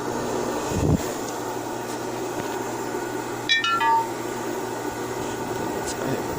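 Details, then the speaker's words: King overlock sewing machine, earlier very noisy when the pedal was pressed, after the repair with glued cork: even, steady motor hum with a light clutch-engaging sound and no scraping or rattle, now running normally. "Você pode observar esse barulho dela mesmo. A embreagem acoplando."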